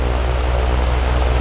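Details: Dayton 2MA11 24-inch ball-bearing fan (Grainger) on low speed, about 1200 rpm and about 70 dB measured at the fan; constant deep drone from the motor, too loud, no fault beat; before capacitor swap to slow it.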